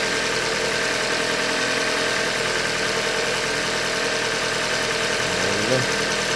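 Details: 2015 Hyundai Elantra Limited, 91,000 km, idling: light, rapid ticking knock about three per second on a steady idle, bottom-end knock from short block failure, a Hyundai manufacturing defect.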